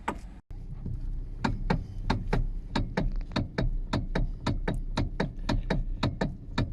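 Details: Hyundai/Kia steering column: heavy, regular dull clunks, about three a second, felt in the hands as the steering wheel is rocked side to side; worn rubber steering coupler bush.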